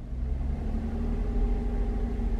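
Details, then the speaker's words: Chevrolet Traverse with rough, surging idle, held at about 1500 rpm: uneven low rumble with occasional dropped beats; scanner shows cylinder 4 misfires. "you can hear it misfiring rated 1500 rpm and there you can see cylinder number four has had some misfires"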